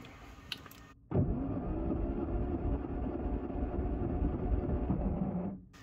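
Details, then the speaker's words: Classic Mini Mark III 998cc, towed in crank no-start with smoking, compression test at high altitude, throttle open: steady, even cranking about three to four beats a second; cylinder 1 reads about 115 psi, consistent. "I'm going go ahead and open the throttle and we'll do compression test for cylinder 1 it looks like we got about 115 pounds on the first cylinder"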